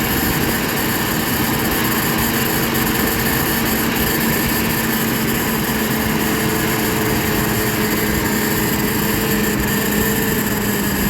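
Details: GMC Envoy with broken power steering pump shaft, started after removing intake and air filter assembly: steady, even engine drone with constant faint whine, no knocks or grinding; engine running smoothly.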